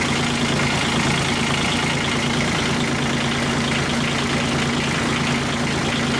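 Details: Kubota G1800 tractor diesel, reinstalled and running after the radiator was repaired and an oil plug leak fixed, possibly with worn rings: steady, even idle with a smooth, regular beat and no knocks or misses.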